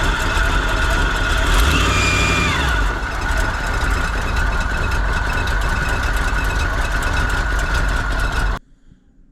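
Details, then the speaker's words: Big-block Chevy V8 in a 4x4 1957 Chevy sedan delivery, first start attempt; steady idle, accelerator pump working, no coolant or fuel leaks, with a constant high whine from the timing gear drive over the rumble. "it ran pretty well it idles seems like the accelerator pump's working I don't see any coolant leaks no fuel leaks you can definitely hear the Gear Drive making noise"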